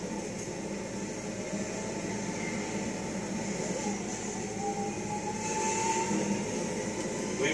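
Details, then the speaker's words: 1956 Cadillac automatic, driving: a thin high squeal over road rumble, rising with speed in reverse, first and third, slight in second, absent in fourth direct drive. Transmission squeal, cause unconfirmed; reportedly better than before. "This whining, squealing. It's much better than it used to."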